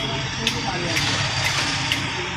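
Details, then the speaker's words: Hero Glamour bike engine: sharp metallic knock about twice a second over a low rumble, crankshaft making heavy sound with a lot of play, worn crank. "बहुत sound कर रहा है, play भी बहुत है।"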